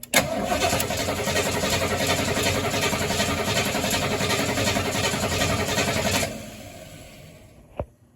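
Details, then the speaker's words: 1973 Mustang after a 1G-to-3G alternator conversion: starter spins the engine at a steady, even churning rhythm for about six seconds, never fires. Cranks, no start; unsure whether ignition, fuel supply, or flooding, spark to be tested. "Okay, so the engine cranks over great. The battery is really kicking off some good amperage. But the engine isn't starting."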